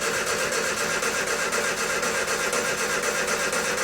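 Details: Engine totally cold to the touch before starting; catches promptly and settles into an even, steady idle pulse with no misses or knocks; healthy cold start.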